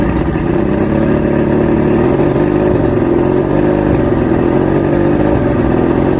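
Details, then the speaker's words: Outboard two-stroke after a 3-week rough idle, surge and misfire diagnosis, now with all new electronics and everything rebuilt: steady, even drone with no surging, stumbling or misfire; finally running right. "I went down the rabbit hole, finally got the engine talking. It was definitely a process."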